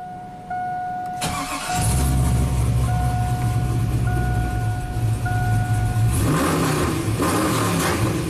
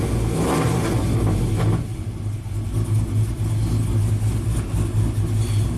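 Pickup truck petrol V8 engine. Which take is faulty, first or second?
second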